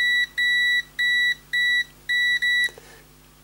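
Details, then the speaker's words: PS3 Slim with no power, corroded board, after replacing suspected chip; repeated sharp half-second continuity beeps each probe touch: supply rail still shorted to ground, maybe main chip. "Okay, unfortunately, after all that hard work, it's still shorting. Look. Oh, I can't believe it. I thought that was going to fix it."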